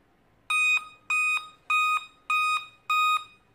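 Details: Laptop at power-on gives five evenly spaced high beeps about one per second in a quiet room; the five-beep code pointing to a weak CMOS battery.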